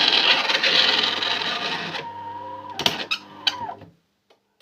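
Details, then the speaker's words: Worrying harsh whirring then low hum with knocks and clatters from the brew unit of a DeLonghi ESAM04.110.S bean-to-cup coffee machine during its cycle, meant to evacuate the coffee grounds and take the next dose; abnormal brew unit noise. "pas bon les bruits il sont pas bon mais comme ça ça ça vous permet de découvrir comment ça marche"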